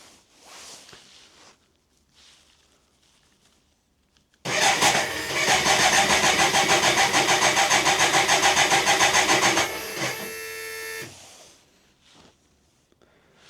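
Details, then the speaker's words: BMW K100 motorcycle during fuel pump replacement: starter whirrs steadily with even compression pulses about 3.5 per second for six seconds, never catches; owner suspects fuel not pumping or too little fuel in tank. "so the motor's going just don't know if it's pumping fuel see I still wonder if there's not enough fuel in there"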